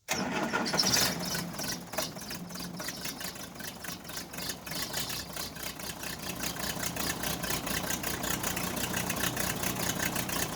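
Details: Case 580C backhoe diesel after valve adjustment, injector replacement and fuel stop cable fix; catches quickly from cold and settles into an even, steady diesel clatter at idle, no misses or knocks; normal start and idle.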